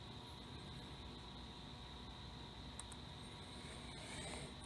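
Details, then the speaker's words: 1979 Firebird Esprit with 5.3 swap, 2002 Avalanche ECU and Walbro 255 in-tank pump, key on with engine off: a thin steady hum from the fuel pump priming with a soft cooling-fan whoosh. Normal. "okay the fuel pump prime comes on fans on you can hear that"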